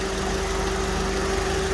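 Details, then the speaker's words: Honda at idle after power steering pump replacement and bleeding with front end jacked up: steady idle with faint even tone, no clunks or whine; pump working normally. "okay so we replace the pump seems like everything works pump is working good and no more noise"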